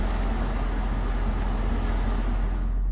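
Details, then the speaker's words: 2009 BMW X5 30i with a new evaporator, A/C compressor and heater valve: on MAX the cabin blower now gives a strong, even rush with no rattle or hunting. Weak airflow was blamed on a low battery triggering energy saving. "Now listen to this. It's blowing full power through the veins right up there."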